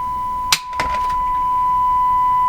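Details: Philco 49 four-band tube radio after low-output fault found, IF tuning (460 kHz) trimmer tweaked without a meter: steady 1 kHz test tone holds clear and swells slightly as trimmer turns; IF stage peaking properly.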